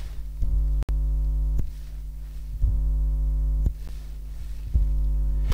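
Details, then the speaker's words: RODE VideoMic GO 2 with volume boosted, near an electric blanket and other electrical devices; steady low buzzing drone cutting in and out in blocks about every second; the mic picks up all the electric noise, mains hum pickup. "Yes, you can definitely hear that this microphone picks up all the electric noise."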